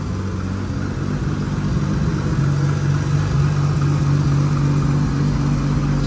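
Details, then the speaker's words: Nissan R32 GTR started after ECU setup before dyno tuning: steady even low warm-up idle with smooth unbroken drone and faint turbo whistle; sounds healthy. "good I'm just letting it warm up then I'll check the level of the oil and see where it's at but it sounds super good"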